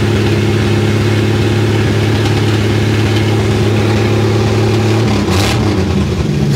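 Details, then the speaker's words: Willys FC-170 Jeep truck, old petrol engine, revived after a new battery, cleaned points and fuel; fuel pump clacking, idles with a rough puffing exhaust note from a mild exhaust leak (described elsewhere as massive); needs a tune-up. "so it's a runner it wants to run all right [Music] like i say mild exhaust leak okay [Music]"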